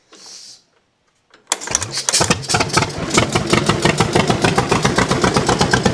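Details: 1929 John Deere GP tractor, first fire-up with choke off; catches and pops along unevenly about four beats a second, running like one cylinder; owner suspects dirt on the shield burning off.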